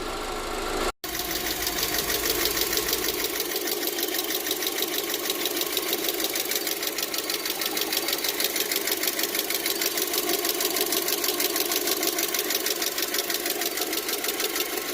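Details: 2008 VW Passat FSI petrol engine at idle: sharp rapid top-end ticking, louder than the normal noisy injector clicking; cause suspected, not confirmed.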